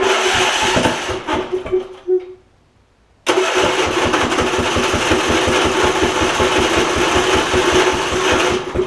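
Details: Husqvarna YTA 24V48 rider (hydro-swapped to YTH), 24hp Briggs V-twin, ~190 hours, suddenly stopped running: steady cranking pulses that catch briefly then die; exhaust pushrod fallen off right cylinder, no damage.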